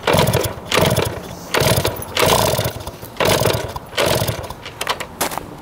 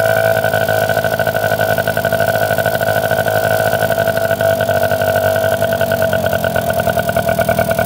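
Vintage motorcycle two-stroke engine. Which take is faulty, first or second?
first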